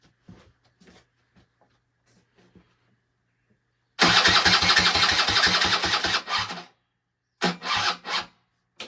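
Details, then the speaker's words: Barn-find Suzuki LT-80 two-stroke ATV, unused over 5 years, after a shot of starting fluid: starter turns engine slowly about three compressions a second and never fires, battery too weak to crank. "Okay. This battery needs some help."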